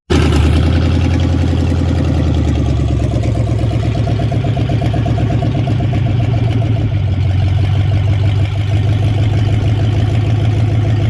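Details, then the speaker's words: Project race truck running again after the unplugged crank sensor was reconnected: an even, deep idle rumble with no knocks or misses, healthy. It may need more transmission fluid. "But yep, the truck does run and drive now. You guys can tell."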